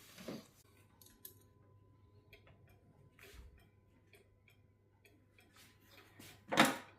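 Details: Restored Hansel & Gretel cuckoo clock after final assembly and adjustments, light evenly spaced ticks in a quiet room with some handling noise as it is hung on the wall and pendulum fitted; movement running steadily and healthy.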